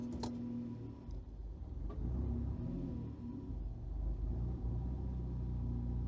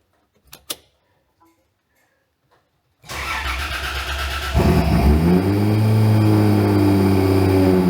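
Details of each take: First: Car with automatic on an ECU Master Classic ECU, coolant a little cold, idling in gear: low idle rumble sags and wavers briefly a couple of times; previously would not stay idling in gear; stumble from incorrect crank trigger edge setting. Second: Car on a newly wired ECU Master Classic ECU, after freeing a stuck idle control valve and refitting it: quiet, then crank and catch, revs flare and settle into a steady, even idle; idle control now working, normal start and idle.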